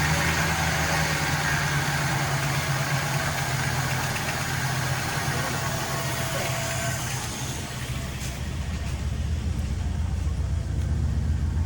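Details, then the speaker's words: 1961 Chrysler Newport revived after sitting for years: steady low idle with a faint leftover ticking hiss, noticeably quieter after tightening loose spark plugs; engine noise caused by loose spark plugs, improved but not fully gone. "it's better not gone but it's better I can tell it's better myself yeah yeah it is noticeably better"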